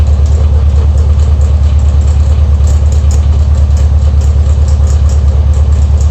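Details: Air-cooled VW Beetle Type 1 at idle: regular rhythmic knock about three per second from a wobbling, eccentric alternator pulley area; alternator pulley noise.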